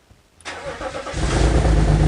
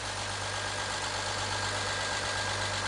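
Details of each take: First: BMW X3 E83 with the M54 engine, first start after a head gasket replacement: the engine catches and settles into a loud, raspy, booming idle because the exhaust manifold-to-exhaust bolts were left untightened; exhaust leak at the manifold joint. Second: BMW X3 E83 with M54 inline-six, start after head gasket replacement and retightened exhaust, oil pressure good, still cold before warm-up. A smooth, even idle with a steady low hum and no knocks or misses: normal idle.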